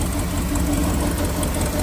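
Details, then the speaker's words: Ford bullnose truck V8 (Rusty), idle after retarding ignition timing about 6 degrees to cure hard starts; steady even low rumble with no knocks, misses or stumbles; starts better than ever, normal idle. "But right now, I mean, that's better than it's ever started since I've had it."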